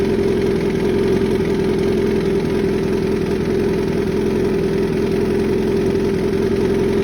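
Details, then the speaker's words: 2013 Suzuki GSX-R 1000 after an oil change, idling a minute or two to warm up: steady idle with light, fast valvetrain clicking because the oil was underfilled by going off the sight glass; topped up to fix. "all right guys so after having it going I definitely did not have enough oil in there I could hear it click and clicking a little bit"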